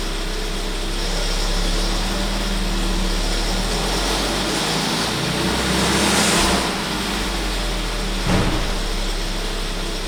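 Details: 1.4 TSI 160 at idle: steady engine drone with a faint, uneven light rattle on top, suspected timing chain noise, unconfirmed.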